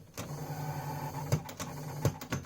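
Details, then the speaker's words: Dusty old Philips FCD285 stereo system, first test: cassette transport gives a low motor drone broken by sharp clacks about every second as it strains and stalls. Cassette mechanism struggling and grinding. "the sounds it makes it just quite worrying the other noise from the head a pro fighter I was hoping to get at least a trip from it but I don't think even guts come out"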